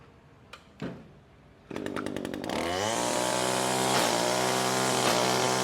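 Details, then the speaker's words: Echo SRM225 two-stroke trimmer with a sharpened line cutter: a few starter pulls, then it catches and revs to a steady high buzz with no bogging. The line is sliced off cleanly with no hesitation, so it is running normally. "this slices it off clean little pieces like that here'll cuts it right off no hesitation whatsoever"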